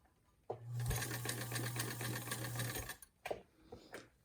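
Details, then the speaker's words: Peerless sewing machine, a Singer 15 clone with its original motor, sewing in reverse with the lever pushed up: steady fast stitching chatter with a low hum, even and smooth, then stops; running cleanly. "I'm going to reverse sew, so I've pushed that lever up."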